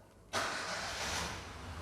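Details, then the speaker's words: Five-year-old Nissan March 3-cylinder, cold start: it catches almost instantly into a strong, even run at a high cold idle, which should drop to idle once warm. It vibrates a bit more than a four-cylinder but is normal, a healthy start. "ketika distarter dia harus kalau misalkan memang masih dingin dia pasti rpm nya tinggi dulu Tapi kalau sudah panas dia sedikit aja tinggi abis itu dia langsung turun Idol"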